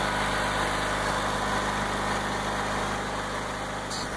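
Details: 1994 Craftsman II GT6000 garden tractor just got running after a starter repair: steady, even small-engine idle with a constant low hum and no knocks or misses; idling cleanly.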